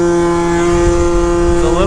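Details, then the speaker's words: Piaggio Typhoon two-stroke scooter after carburetor upgrade, untuned, riding uphill: steady buzz that bogs briefly and sounds sluggish as the throttle cracks open before pitch climbs; running really rich, plan to pull plug and move needle clip to top. "We'll pull the plug, drop the needle down, so put the clip probably to the top. That's usually where it likes it for some reason on a lot of my scooters. I can hear it's a little sluggish on the crack of the throttle, so."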